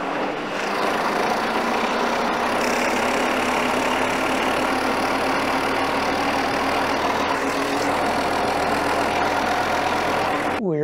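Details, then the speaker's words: Diesel engine at idle after fixing an injector hard-line fuel leak caused during a head gasket job; lines bled and repositioned: steady, even clatter for ten seconds with no stumble or misfire, running smoothly with no more leaking. "to reposition the fuel line get that lined up a little bit better and fix the leak"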